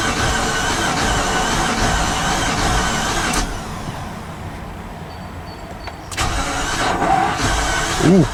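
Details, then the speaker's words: 2015 Infiniti QX80 from a Copart auction, cranking after a new battery, new fusible link and cleaned terminals: steady, even cranking with a skipping cylinder but no start; cause not yet known. "you can hear it's skipping a cylinder cranking speeds better just thinking about it no luck"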